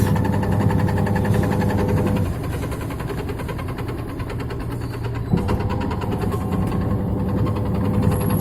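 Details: Samsung WA82VAL 6.2 kg top-loading washing machine on spin: loud hum with a fast, rough rattling pulse, about four a second, from excessive vibration. Worn suspension rods or shock absorbers are the cause.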